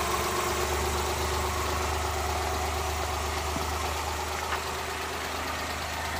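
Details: Suzuki Multicab F6A engine held just off idle, uneven, occasionally stumbling beat rather than a smooth hum: random misfire.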